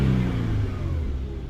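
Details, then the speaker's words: Infiniti Q50 VQ37, 156,000 miles, cold after spark plug change: low engine note swells only slightly then fades, never revving crisply; owner blames audible intake suction leak near throttle bodies, possibly also cold engine. "You can hear the suction leak right there. I'm gonna have to fix that ASAP. That's why it's not revving all the way up."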